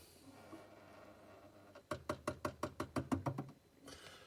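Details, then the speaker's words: Hotpoint Quadrio fridge freezer while cooling: a quick burst of about ten sharp knocks, roughly seven a second, over a faint hum; owner suspects something catching behind a panel, later traced to the damper. "right I'm going to try and uh sort out this knocking noise that I've got on this fridge it's a hot point quadrio and we're getting a strange ticking noise every time it's attempting to keep cool on on its cooling"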